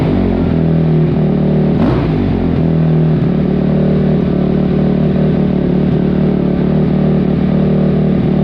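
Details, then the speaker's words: 2005 Kawasaki KX250F single-cylinder four-stroke, first start after carburetor clean (clogged pilot jet), no choke: loud, uneven running that surges and stumbles and won't settle; owner wonders if it's too lean. "it was not ready for no choke [Music] TR yikes wonder if it's too lean"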